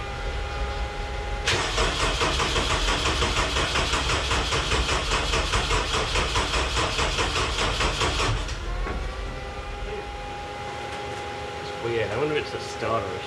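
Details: Homemade race car "Scrap Metal" with a 20-year-old engine, recently tuned while the old fuel pump was dying; won't start after fuel pump replacement. Long steady cranking about seven seconds, then catches into rough idle. Owner suspects the tune.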